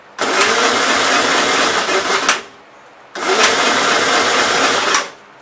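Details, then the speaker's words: 1957 Gravely SR after a top-end rebuild, first run after sitting a couple of months: it catches for about two seconds, cuts out, then catches briefly again; rough running, owner suspects fuel issues, possibly carbon under the exhaust valve. "sounds like there's carbon under the exhaust valve so so i think i'm having fuel issues now"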